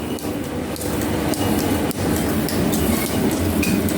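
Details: Metal planer, belts on fast and loose pulleys, table going forward then reverse as belts shift: irregular light clicks about three a second over steady rumble; normal belt fastener tick, nothing wrong.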